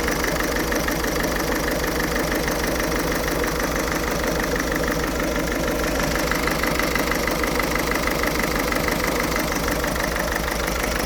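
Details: Ford Fiesta 1.6 TDCi diesel with rough idle: uneven lumpy chatter about three beats a second, wavering rhythm; still smokes acrid when revved, cause undiagnosed.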